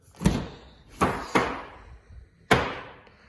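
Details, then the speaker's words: 2nd-gen Toyota Tundra front door: four sharp, uneven clunks while opening, from a failed door check; fix is replacing the door check. "does your Toyota Tundra make this awful clicking noise when you open the door"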